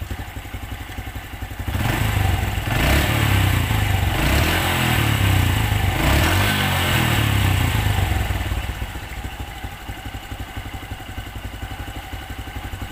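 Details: Honda Absolute Revo after replacing worn centrifugal clutch shoes: small engine revs up and settles back with a smooth, even beat; the earlier clutch-area knocking is gone. Normal idle.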